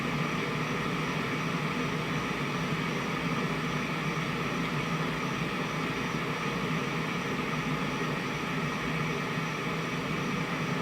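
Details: 1971 JCPenney 1758 solid-state stereo, right channel near TR20 and R110, volume up: steady rushing hiss with faint hum, no program sound; moving or freeze-spraying the transistor and resistor made no difference; noisy transistor suspected.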